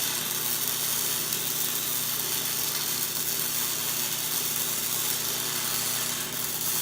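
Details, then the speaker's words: 110 V Century MIG welder running a bead, compared with a 110 V Harbor Freight welder whose bead was too cold: a steady, even sizzling crackle holding its pitch without sputtering or popping, with a different pulsing, burning in well. Normal MIG weld arc. "You can hear the pulsing is way different. Century's burning in really well."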